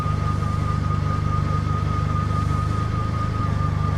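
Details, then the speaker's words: Engine cranks steadily in snowy cold but never fires; suspected dead fuel pump or seized piston rings with no compression; even starter pulses about three per second with a thin whine. "I think this engine's cooked. Okay. That's not good. Well, all that trouble for nothing. It doesn't start."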